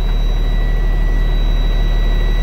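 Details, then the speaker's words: 2017 Freightliner with Cummins engine and Allison automatic, no-start because neutral wasn't detected; loose connection taped, now starts: deep even diesel idle with faint steady whine, no knocks or misses. "so that was the problem okay so now the truck starts now i got one taping verify okay"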